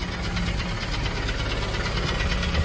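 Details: 2008 Honda Civic Si hatchback, K20 engine, six-speed: fast, even clacking ticks at idle keeping pace with engine speed; oil drained showed no metal shavings, block already checked, owner suspects the head/valvetrain (valve clatter), not confirmed.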